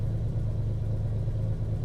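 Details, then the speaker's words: Ferrari 330 GT 2+2 warming up, oil temp rising: deep idle falls lazily from about 1,000 to 800 rpm instead of snapping down; mechanic suspects carburetor or warped base plate sucking extra air, not confirmed; cooling fans kick on. "but what i do is see that it's so lazy it should go snap up and down and as the engine warms up you know now i'm seeing oil temp move that carburetor or whatever warped base plate or something is just sucking in more air and you can hear it just lazily coming down"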